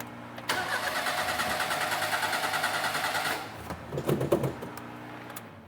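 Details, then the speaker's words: 1988 Daihatsu Hijet mini truck, sat for years, new plugs, wires and cap, carburetor rebuilt: catches and runs roughly about three seconds then dies into weak coughs; carburetor flooding, kit O-ring possibly wrong size. "she's flooding out again I bet you let's take that boot off see if it's flooding I bet sh's flooding"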